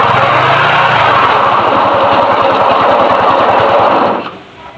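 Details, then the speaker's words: Suzuki Shogun motorcycle engine: harsh, gritty rumble with fast uneven chatter deep inside, getting rougher as throttle rises; noise traced to engine internals after clutch removal, worn crankshaft main bearing. "dia waktu pertama itu suara kasar dan kita di gas makin kasar"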